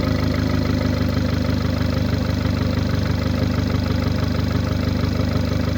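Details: 2009 VW Golf MK6 1.4 petrol (CAXA, 90 kW/122 PS, 1390 cm³), 272,900 km: steady idle with a regular puffing tick about three times a second over the rumble, caused by a defective cylinder head gasket.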